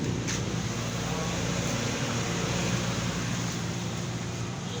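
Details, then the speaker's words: Yamaha Mio MXi 125 scooter, noisy engine, revved: heavy uneven knocking under the drone that rises with revs; worn connecting rod confirmed, rod and crank side bearing both to be replaced. "So ito confirm natin sira yung kanyang conting Rod so bibiyakin na natin itong kanyang makina"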